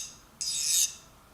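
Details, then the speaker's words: File test on a removed spring-loaded ratchet pawl during ratchet teardown: a half-second high, glassy rasp, like running on glass, as the file skates without biting; the pawl is properly hardened. "As opposed to, it has that higher pitched, almost like I was running this on glass. That means this is actually hardened, which is a good thing."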